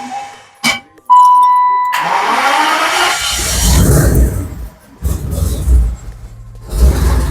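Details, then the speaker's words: Car just repaired with errors cleared at start-up: starter cranks, engine catches and settles into a steady even idle with no belt squeal, the rear self-levels up and the power steering pump is faintly audible working. Normal idle. "power steering again yeah the back has raised itself which means your pump is working I can kind of hear it"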